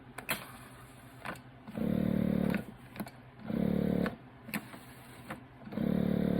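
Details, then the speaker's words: 1985 Honda Gold Wing GL1200 air ride compressor, front and rear selected with increase/decrease buttons: three short bursts of steady electric motor hum with clicks between. It works normally, gauges respond and it holds pressure. "Front, rear, if you hold those and push the increase or decrease buttons, it does work, which is awesome."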